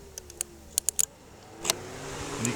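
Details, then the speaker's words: 2006 Ford Focus with codes P0491 and P0410, secondary air pump under the headlight run by jumpering two connector pins: sharp clicks, then a steady electric whir that stops when the jumper is removed; normal pump operation. "you can hear the blower motor running. That's it, running under the headlight. When I remove the jumper, the blower motor stops running."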